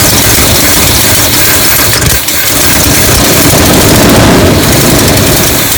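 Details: Classic Chevy ramp truck V8 on a charged battery and a little fuel, after a shorted wire that had killed the coil module: loud, rough-edged rumble holds steady the whole clip without stumbling or dying; sound idle.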